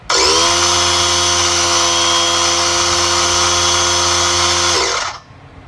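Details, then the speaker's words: Harbor Freight 3-gallon oil-free air compressor, 1/3 hp, 110 max psi, 0.6 SCFM at 90, just plugged in: loud, steady high-pitched whine with buzzing motor hum running evenly, then cuts off; judged far too loud. Oil-free compressor running normally. "that sucker sounds like it's turning 20 000 rpms so i am thinking it's way too loud to use"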